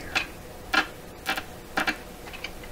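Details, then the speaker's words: 1928 RCA Victor Model 28V radio connected to the antenna; loud sharp clicks roughly every half second over quiet hiss, suspected external interference; ticking interference. "I had my suspicions about exactly what it is that's making that very loud ticking sound."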